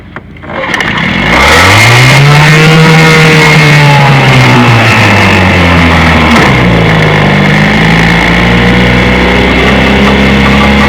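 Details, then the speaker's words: 1958 Evinrude 5.5 HP outboard, Katrina flood motor restored with replaced power head, carburetor and gear case, warm start on test run: starts quickly, revs and settles into smooth even buzz; running healthy. "She runs beautiful. Let's give her a test run this morning."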